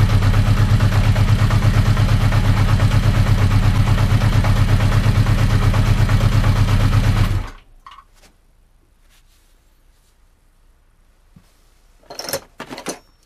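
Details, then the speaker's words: 1980 Honda CB650 at warm idle after 10-15 minutes of running on a cold day, carbs synced: steady light tick about three times a second; it runs well at higher rpm, but the clicking source is still unidentified. "I believe the bike when it's running at higher rpm it runs great but this clicking noise is still there and I don't know what it comes from"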